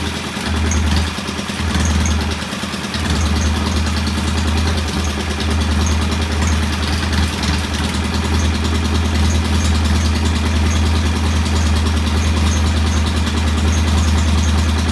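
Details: Norton P11 competition twin, after cleaning debris from pilot jet (choke needed to start): steady, even firm idle at a set 1,000 rpm that never stumbles or hunts; sounds healthy and settled.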